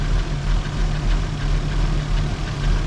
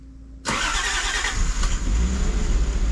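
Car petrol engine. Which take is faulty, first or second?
first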